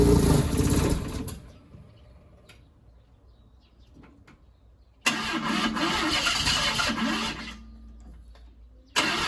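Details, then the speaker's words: Mazda rotary engine in a home-built trike cranks and catches, runs rough and uneven, goes quiet, then bursts again while pouring heavy exhaust smoke. The owner suspects a water seal failure, unconfirmed, and plans to tune the carburettor. "Yeah, so she's actually firing up all right. There's still a shit ton of smoke coming out the arse of it,"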